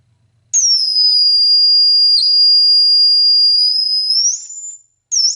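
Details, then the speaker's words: Marshall guitar amp project on the bench with presence on 10, after cleaning dirty pots and finding a loose nut. A loud, steady high-pitched squeal holds one pitch for about four seconds, drops out and returns; suspected oscillation, not confirmed. "Yeah, it sounds like some kind of oscillation to me. Now, whether it's going to be hard to find or not, I have no idea."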